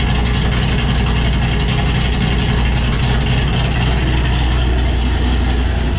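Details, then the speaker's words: Cammed Ford GT500 after the tuner fixed its cold-start idle problem with a new tune: loud, deep idle with a choppy, uneven lope from the big cam, holding steady without stalling; running normally. "so like I was saying thanks for watching guys I'll see you in the next one let's listen to some nice Chop Chop sounds"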